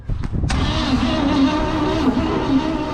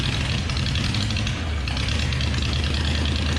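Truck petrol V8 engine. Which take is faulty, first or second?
first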